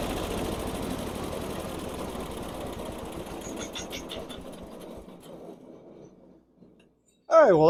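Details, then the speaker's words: Barn-find Snapper chipper shredder, 8 hp Briggs & Stratton, after spraying carb jets and carb cleaner with choke on: chugs unevenly, loses strength over a few seconds and dies; runs briefly then stalls, carburetor still gummed up. "wasn't as good as I'd hoped but at least it ran under its own power for a little bit like the carburetor is still gummed up"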